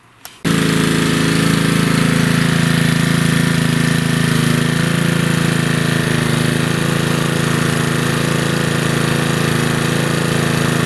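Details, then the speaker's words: Honda-engined lawnmower after moving the governor spring to the second hole to raise rpm: steady, even high-pitched drone at 3200–3300 rpm on the tach, no hunting or misfires; running healthy. "So you saw the reading on the tach here, 32 to 3300. That's perfect."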